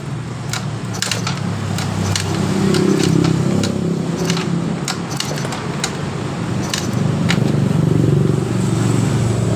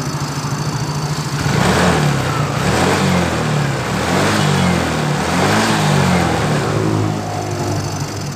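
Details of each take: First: Yamaha Mio GT fuel-injected scooter, stalls/sputters, hard starting, while cranking: sharp irregular snapping clicks over churning engine, high-voltage leaking at the worn spark plug cap; spark plug cap high-voltage leak. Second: Yamaha Mio GT with owner complaint of sputtering and cutting out, blamed on a damaged spark plug cap, fuel pump pressure normal: engine picks up cleanly through repeated throttle blips and settles without stumbling; normal revving.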